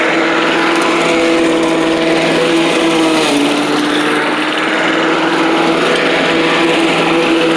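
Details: Old Rover Turbothrust mower built in Brisbane, Australia, no battery fitted, cutting grass into the bagger: a steady high-pitched single-cylinder buzz dipping slightly under load and recovering. Healthy engine under load; owner thinks the brake shoe may need replacing.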